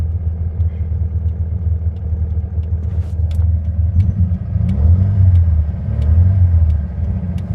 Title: VW bug hesitating and misfire